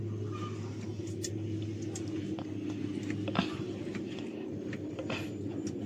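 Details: 6M70 diesel with a hard-starting injector problem, after injector work: it starts and settles into a steady, low, even idle with no misses or knocks, running smoothly.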